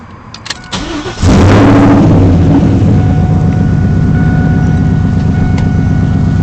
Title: bad pilot bearing